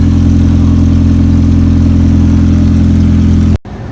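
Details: 1998-2002 Honda Accord 2.3L four-cylinder after alternator and power steering belt replacement, catalytic converter stolen from the parking lot: loud, deep, steady rumble with a hollow bark from the missing converter.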